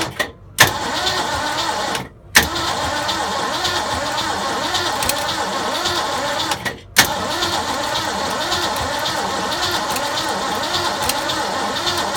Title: 302 no start